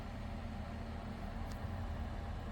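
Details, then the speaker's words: Diesel heater after fan, fuel line and new ultra-quiet pump fitted; fan spins steadily but burner doesn't light, stopping with an A7 error; owner suspects fuel, and it fired on the third attempt. "So it's not fired up, but I think she's spinning. Okay, I don't expect it to fire up straight away. You've got to get some fuel through."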